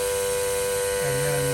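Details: 2009 Saab 9-3 Aero XWD engine bay: steady thin whine over the running engine with a lower hum joining; a leak in the vacuum pump line feeding the brake booster, behind the engine.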